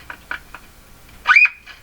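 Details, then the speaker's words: Silvertone tiny four-tube Model 6002 radio, one IF stage, no loop antenna, first power-up through a dim-bulb tester at 108 V after fitting larger power-supply filter capacitors: soft ticks, then a piercing squeal sweeping up to a high steady pitch from the speaker; set not working, cause not found. "oh what's that sound oh that's coming out of the speaker that sound like something burning up fast"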